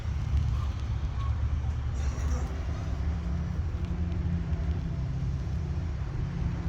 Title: customer states loud engine noise